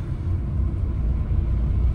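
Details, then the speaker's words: Car on new Ceat Secura Drive tyres, driving: soft steady low rumble with no hum, slap or squeal; normal quiet tyre noise, new tyres typically get louder after 1-1.5 years. "कमी noise आहे खूप जास्त. Actually नवीन जेव्हा tyre असतात तेव्हा ते noise कमीच असते, नंतर मग 1-1.5 वर्षानंतर आपल्याला जाणवायला लागते."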